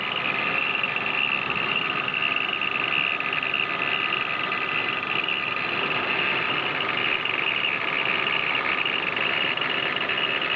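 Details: 1997 BMW E36 320iA at idle (about 500–700 rpm), water pump and pulleys replaced previously: light fast metallic chatter, no deep knock; the original spring belt tensioner was resonating, and replacing it with the newer model cured it.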